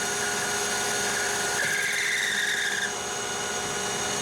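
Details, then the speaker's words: Lathe longitudinal cut on tempered 4140 chrome-moly steel at 1120 RPM; steady even hiss with thin clear ring, no chatter, blue turnings, slight surface tearing not felt by fingernail; clean cut. "finish already looks superb by comparison and it is there's a little bit of surface taring but you can't feel it with your fingernail anymore"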